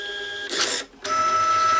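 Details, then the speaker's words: Repaired Epson TM-L90 label printer (jammed paper lid fixed) repeating test prints after holding the feed button at power-on: short feed hum, a crisp cutter snap, then steady feed again. Feeding and cutting normally. "You can see that's making the right cutter noises, everything seems to be working, but we'll do 10 or 20 of these just to test that it's all working."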